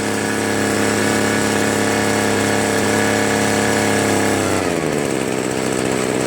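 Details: Free two-stroke leaf blower (Troy Bilt/Homelite) that only started on low choke: a high steady buzz at full throttle holds a few seconds, then sags and drops sharply; won't hold full throttle unless choke is mid.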